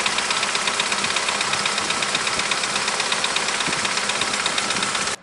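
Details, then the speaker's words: Opel C20NE petrol engine, 429,211 km, absolutely cold start, bonnet open: fast loud metallic clatter of hydraulic lifters tapping over the idle, before trying Wynn's hydraulic lifter additive; oil nearly new. "сейчас открою капут за еду двигатель чтобы послушать можно было как тарабанят гидрокомпенсаторы при запуске на холодную мотор абсолютно холодный не заводился"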